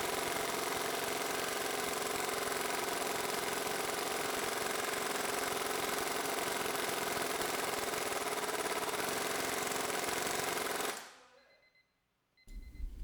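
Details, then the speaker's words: Ingersoll Rand 232TGSL air impact wrench, ported, with 7-vane rotor and oil-soaked resin blades, dyno run; strong steady high-pitched hammering at even rate about eleven seconds then clean stop, audibly stronger than stock. "I know we're usually data driven, but you can hear this difference in the gun as well. You can tell it's got some more beans."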